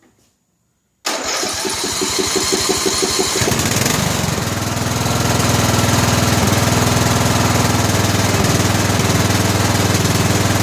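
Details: Briggs & Stratton Intek 17 HP OHV engine, 2000 Scotts lawn tractor: starts well but irregular pops over a fast even thump; misfire from a spark plug gapped far too narrow.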